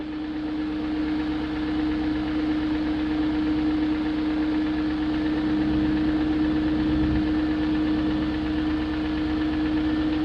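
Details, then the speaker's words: 2001 BMW E38 740i after rebuilding the VANOS units with Beisan kits, replacing VANOS distributors and camshaft gaskets, lifters checked, plugs tight: steady idle with light quick tick about three or four a second; top-end ticking persists, cause unknown. "and i still have that ticking sound i checked all the lifters i have redone the bannos i replaced the vanos distributors"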